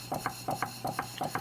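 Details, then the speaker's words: PM Research model steam power plant, cylinder cleaned of corrosion and relubed; light metallic double click each turn, rattle traced to the cradle holding the crank; crank not bent, small pulley not machined true. "knowing that now I've traced this sounds a little rattle down into here and the crank is actually straight"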